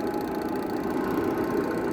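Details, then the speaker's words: Hitachi washing machine after repair, spin (drying) motor started on timer: loud even motor hum, steady mid-pitched drone, no rubbing or knocking; normal running. "এই মেশিনের মোটরটা টাইমারটা চালু করবো এইটা চালু করছি ঠিক আছে এটা এখন চলতাছে টাইমে"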